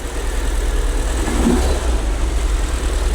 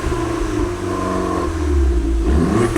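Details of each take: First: Long-abandoned, crash-damaged Fiat Punto Abarth. Engine catches and settles into a low idle that pulses somewhat unevenly. Rough idle, cause unknown; a clac-clac noise is mentioned afterwards. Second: Crashed Fiat Punto Abarth warming up after revival. Engine revs and drops back with sharp exhaust pops as the throttle closes; said to pop like this from the factory, not a defect. Normal exhaust crackle on overrun.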